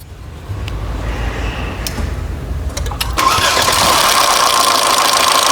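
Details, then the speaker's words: Mercedes-Benz engine on start-up: a few clicks, then a loud, harsh, tractor-like metallic rattle; cause is loss of oil pressure, not the chain tensioner or oil quality. Engine rattle from low oil pressure. "Espero no haberlos dejado sordos con ese ruido tan intenso es un ruido amigos que de pronto podemos batallar bastante"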